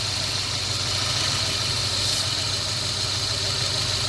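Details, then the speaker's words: 1993 Volvo petrol engine idling roughly: stumbling low beat with a steady hiss, engine shaking; brake cleaner sprayed at the intake smooths it, showing a leaking intake gasket causing the misfire. "you can see, the engine is dancing all over the place. Right now, you can just look at these here wires and see them jumping around."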